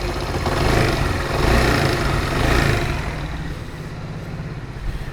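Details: Motorcycle after timing chain kept and cracked engine case patched with sealant: a few throttle blips then steady even idle, earlier loud noise gone, no clatter or tapping; normal running after repair.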